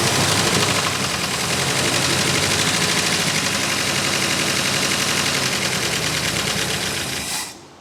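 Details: 1964 Buick Electra engine, sat at least 25 years and seized, freed a couple of days earlier, brief run with no water pump hooked up: rough raspy exhaust firing at a steady pace, no knocking. Normal running.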